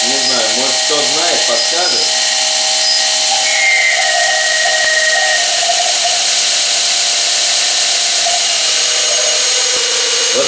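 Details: 2.2 kW motor run through a Korean-made frequency inverter whistles, makes strange sounds on start and jerks when speed is changed; steady high-pitched whistle over hissy background with a higher drifting tone; owner blames the inverter, cause unconfirmed.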